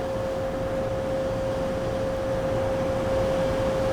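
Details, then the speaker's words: CNC machine coolant system with a float-switch-controlled transfer pump; chips may jam the float near the top: pump switched on by raising the float, giving a steady mid-pitched hum with no surging or rattling; running normally. "and then i go up here and now the pump turned on and then i dropped it and the pump turned off"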